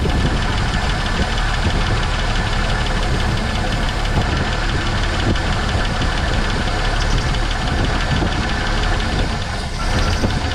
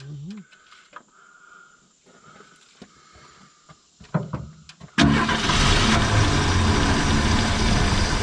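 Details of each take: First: 1970.5 Ford Falcon that sat 28 years in a junkyard, first start with fresh gas: old V8 holds a fast, even idle with a crisp rattle, no misses, smoke or blow-by; it later fails to pick up fuel, and a dead fuel pump is suspected. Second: 1970.5 Ford Falcon after sitting 28 years: catches and runs rough and uneven only while fuel is hand-poured; not picking up tank fuel, fuel pump suspected.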